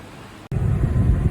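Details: 2003 Mercury Marauder after vacuum-filling its air-locked cooling system: a warm, even, low idle with no knocks, misses or hunting. It has run for hours with the thermostat open, the temperature needle stable and heat working.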